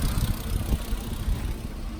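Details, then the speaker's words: Car at Copart auction lot, drives forward and reverse. Low steady idle rumble, even beat, no knocks, ticks or stumbles; idles smoothly, sounds healthy. "Okay, so this car sounds pretty good. This goes cheap. We'll buy it."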